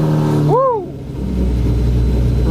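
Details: Lamborghini Murcielago, in neutral, first start with the key after fixing its no-start: starter whirs briefly, engine catches cleanly, settles into a strong steady run with a quick rev.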